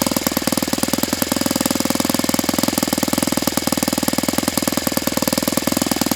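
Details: Saito FA-82a four-stroke glow engine after spring replacement, timing, valve lash and springs confirmed good, plug swapped to O.S. F: fast even full-throttle popping at low pitch, short of ~9,000 RPM expected on what is likely a 14x6 prop; cause unknown.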